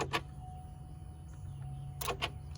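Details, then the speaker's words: Key on, engine silent on a no-crank, no-start Chevrolet Suburban: a faint steady whir with sharp clicks at irregular intervals as an actuator switches on and off; owner suspects the ECU is cycling it on its own. "so i'm trying to do the testing that i'm seeing that this guy's doing and yeah i mean it's basically cutting the engine the computer on and off and it's the computer doing this on its own"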